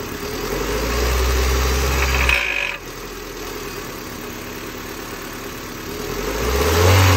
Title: What a failed catalytic converter sounds like - 2005 Honda Civic